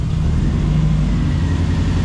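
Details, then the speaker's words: Zetec turbo engine in a mk2 Fiesta, restarted after sitting two years: low, lumpy idle with an uneven beat under the exhaust drone, still misfiring; an HT lead was later found not seated on the coil. "It's idling. Can't tell if it's missing or not. Sounds like it's missing."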